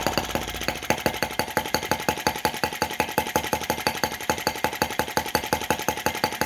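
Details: Brass half-tracked Lanz-type T16B model tractor on its first run. A single cylinder putters at a steady, even seven pops a second with no misses: normal slow idle.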